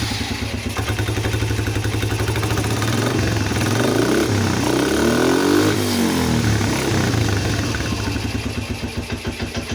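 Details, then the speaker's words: Polaris Phoenix 200cc single-cylinder quad, carb jets cleaned, air box refitted, new battery, first run: slow lumpy thumps, blips up then sags back; idle speed set too low. "Sounds like it's idling a little low. I'm going to bump that up."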